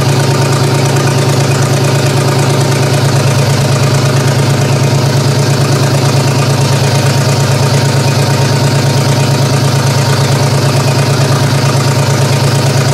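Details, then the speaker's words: GM 3100 V6 in a Camry derby car, first start-up with vacuum leaks: rough, uneven idle with a low thump stumbling about three times a second; owner suspects cylinder two misfiring, possibly coil pack. "there's some big vacuum links but cylinder number two which it is I'm pretty sure it's this one 3d pretty sure it's this one you're not firing"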